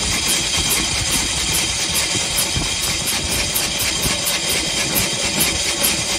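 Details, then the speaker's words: 1901 Curved Dash Oldsmobile single-cylinder, first run after about 10 years in storage: slow, even chuffing about two beats a second, running steadily and healthily. "that's not bad after 10 years"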